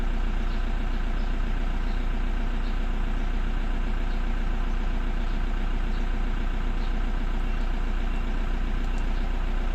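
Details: Toyota with P0340 camshaft position sensor no-connection code and hard starting: steady even idle, smooth low hum, no misses or stumbles; engine running cleanly now.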